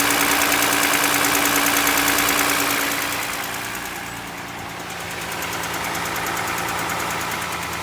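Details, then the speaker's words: Toyota Highlander 2GR-FE engine at 150,000 km, cold start. Sharp, even knocking about three times a second over idle, described as piston knock when cold. The engine burns no oil and has no oil leaks, and it is headed for a rebuild. "Клиент говорит, что масло вообще не жрет, но присутствует такой вот неприятный стукоток."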